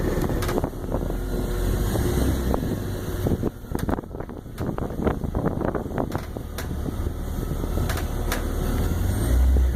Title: 2002 330Ci - cracking/popping noises